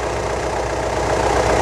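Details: 2015 Mitsubishi Triton 3.2 diesel idling after EGR pipe weld, engine oil service and code clearing: steady, even idle, smooth low rumble, no knocks or misses; codes did not return, engine running healthy.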